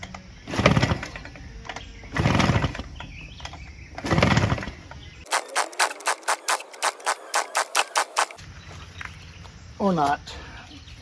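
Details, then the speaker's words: Craftsman 6.5HP 21" Briggs Quantum push mower, new spark plug, ATF poured in cylinder: a dozen sharp compression puffs while pulled over but never catches; cranks without starting, owner suspects plug fouled with ATF so no spark. "think maybe uh spark plug is now filled with that ATF cuz it's just filled with it so it's not getting any spark because of that"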